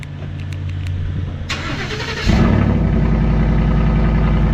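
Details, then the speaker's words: Ford F-150 cold start with muffler and tailpipe fallen off: loud, deep, raw rumbling idle with no muffling, exhaust dumping under the cab. "start. Oh, it sounds terrible. [Music] Sounds absolutely absurd."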